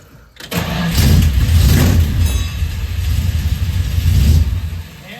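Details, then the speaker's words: Challenger with a big V8 and quad-barrel carb: cranks, catches and runs roughly a few seconds after the key is released, revs sag and it dies; stalls after starting. Owner guesses the carb. "That's weird. I don't understand why it's like. I turn the key and I let go and then it just. Yeah, there's something going on there, but it revs."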